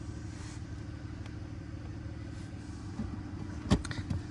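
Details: 2005 BMW E46 idling: steady, even low rumble with no misses, knocks or hunting. Normal healthy idle.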